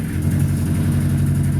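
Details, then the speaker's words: Roughly 30-year-old Italian-built Chrysler petrol engine idling after start: low, rough, uneven stumbling beat, misfiring pretty bad; owner says it needs new spark plugs. "misfiring pretty bad at the moment turn the other garage so it won't completely sneak it up I'll let it idle for a minute"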